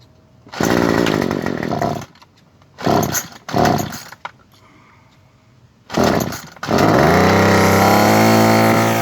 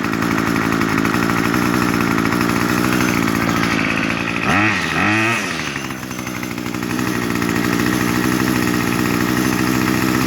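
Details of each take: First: Small two-stroke trimmer after turning the high-speed H carburetor screw out about a quarter to half turn (factory set too lean for emissions): snaps cleanly from idle to high revs and holds full throttle smoothly instead of bogging and stalling. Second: New 2-stroke weedwacker set too lean at factory for emissions: idles steadily then bogs on throttle, revs surging and sagging instead of climbing; lean high-speed mixture, fixed by turning H screw left about a quarter to half turn.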